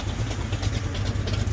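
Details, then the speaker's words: 1978 Chevy Monte Carlo V8, after a carburetor swap and replacing a kinked brake line, back from a cruise: a deep, steady burble with even pulses and no tapping or misfire. Healthy idle. "Like I said, this motor sounds healthy. It runs great. No issues with it,"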